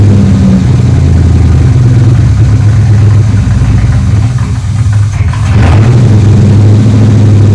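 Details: 3rd Gen Camaro Z28 carbureted V8 after replacing the plug wires and the spark plugs that caused a dead-cylinder misfire; deep, even burble with a steady beat and no skips or stumbles, now a normal idle on all eight cylinders.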